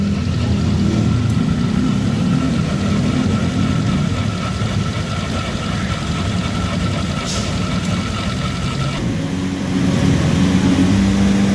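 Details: Honda Vario 150 scooter idling with a rough, rattly drone and faint steady whine from the CVT; a worn CVT block bearing that should be replaced.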